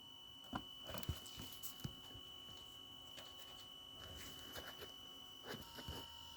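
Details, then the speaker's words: VW Passat B8 2.0 TDI EA288 (DFGA) after coolant refill and bleeding: with ignition on, faint steady high hum of the electric coolant pump under handling knocks; pump working normally. "And also this pump is working. I can hear it. Feel it. This one."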